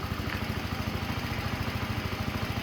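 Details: Yamaha Vino 125 scooter after starter clutch replacement, warm restart after a 15–20 minute ride and 2–3 minutes sitting: even single-cylinder putter, regular without misses; healthy idle, warm no-start fixed.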